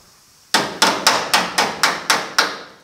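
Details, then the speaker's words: 1950 Chevy truck cab mirror-mount repair: eight light, even on-dolly hammer taps with a solid, dull ring, showing the sheet metal is sandwiched against the dolly, time to stop. "hear that solid sound that means i'm sandwiching the sheet metal to the dolly so it's time to stop and move on"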